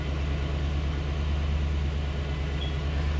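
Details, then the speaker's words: C4 Corvette after fuel pressure regulator saga and new fuel pump and belt install, start at about 40 psi fuel pressure: low, smooth, steady idle with the previously loud fuel pump whine now gone; normal healthy idle. "Let's see if we can hear this uh fuel here. It was pretty loud, so we'll see. [Music] Oh my god. I don't hear a thing."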